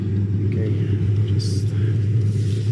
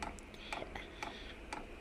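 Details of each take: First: Eberspächer Airtronic D2 diesel heater after service and a new burner chamber, previously only smoking without firing: after about four minutes it stabilizes in power mode at 100% output, with a steady, even low roar, no smoke; normal running. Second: Eberspächer Airtronic D2 diesel heater that only smokes and fails to start: sharp even ticks about twice a second with no burner roar; dosing pump drawing air in the fuel line.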